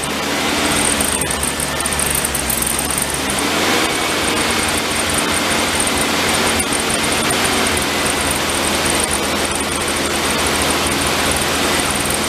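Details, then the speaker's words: VW Beetle convertible parked since 1995, air-cooled flat-four with a new battery: it runs steadily with an even beat under heavy hiss, but only on starter fluid sprayed from a bottle; no fuel from the car's system, and it dies when the spray stops. "Definitely running off the bottle though. Nothing from the car. As soon as I pull it away, it dies."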